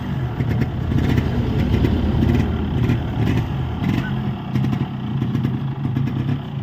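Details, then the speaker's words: Yamaha RX135 Tiger model two-stroke after a full engine rebuild, started on one kick, heard up close: a lively burble with a crisp, uneven crackle picking up on small blips, firing strongly; healthy running. "गाड़ी जो है वो 1 kick start हो गई है और एकदम बढ़िया फायरिंग बनी है, आप देख सकते हैं।"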